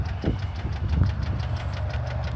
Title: 2015 KIA RONDO 4DR WAGON ***ENGINE KNOCK*** / KNAHT8A37076913